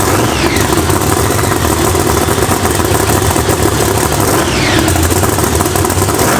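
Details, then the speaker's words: Monster truck engine idling just after its supercharger was worked on and reassembled: big engine with a steady, heavy lope and no knocks or rattles, expected to idle normal; normal, healthy idle. "Might fire it up, see how it runs. Should idle normal."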